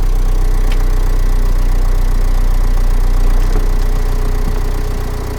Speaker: Cam așa se aude la rece. Motorul de 2.0 diesel de pe Nissan X-Trail din 2007-2008 modelul.